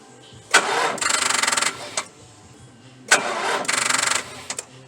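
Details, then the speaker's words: 4.6 L V8 with a dead battery, Stanley Fatmax 700 peak/350 A jump pack, third attempt after resting 10 minutes: two short bursts of slow, labored cranking that never catch; jump pack too weak to start the V8. "all right boys that's all the attempts i'm going to do because if you had to wait this long you might as well just call aaa or get a jump start from an actual car battery with jumper cables"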